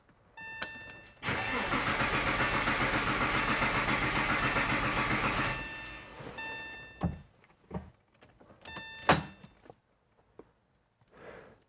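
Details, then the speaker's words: Porsche after intermediate shaft bearing replacement, fuel pump fuse pulled to prime oil pressure after long sitting: steady even cranking about four turns a second, no firing, sounding okay. Normal cranking. "I'm about to crank the engine for the first time hopefully it doesn't explode [Music] I definitely sounded okay so now we wait and we'll crank it again in a few minutes"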